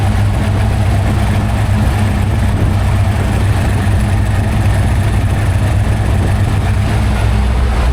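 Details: Freshly built 347 stroker small-block Ford, carbureted, on a run stand at first start-up, timing being set around 14 degrees, aluminum flywheel, carb still cold: deep, even V8 burble holding a steady idle, no knocks or misses; smooth, healthy.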